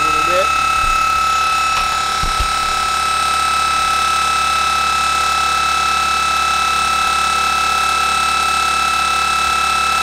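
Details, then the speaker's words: Military starter/generator shunt motor run as a series motor on a Curtis clone controller, new bearings, free-spinning at no load drawing few amps: steady high-pitched squeal over a faint rattle; owner says something is loose, cause not yet found. "you can hear the little rattle sure what that is yet but we'll we'll figure it out something's loose so as you can see it just runs it little squeal to the motor not pulling any amps"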